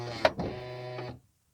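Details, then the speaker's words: 2008 Honda Odyssey, about 160,000 miles, power rear sliding door closing after pushing back the actuator arm that wasn't returning: short even motor hum, soft clunk, clean stop; normal close. "do it again say it just just doesn't snap back and just push it back door closes perfect every time"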